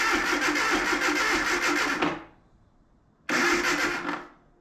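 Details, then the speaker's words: Abandoned Datsun 720 King Cab 4x4 that sat about 20 years. Two cranking bursts with harsh metallic clanging over the starter whir, stopping dead each time. Owner suspects a loose flywheel or clutch bolt, or timing way off; cause unclear. "that sounds very metallic and very clangy and very bad I don't want to try it again"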